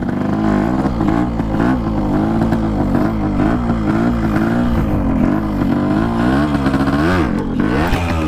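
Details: RX two-stroke started for the first time after a from-scratch restoration, piston pin not yet replaced: a crisp buzz with rapid throttle blips rising and falling, firing steadily and cleanly; the engine runs healthy.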